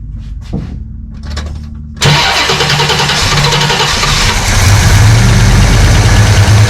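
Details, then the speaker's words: 1969 Hurst Olds with a Quadrajet carburetor and a newly installed choke. Restarted on the fast idle: quiet cranking, then it catches into a steady, even fast idle with no misses or knocks. Normal start and fast idle. "I'm going to hit starter again, see if it fires back up on the fast idle, and see where this takes us."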